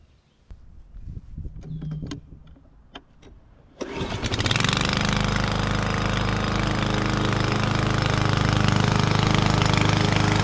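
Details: 21-inch Husky push mower (11A-B2M7031), Powermore OHV engine, fresh oil, started first pull: catches at once and holds a strong, even drone mulching grass under load with no issues; fairly quiet engine.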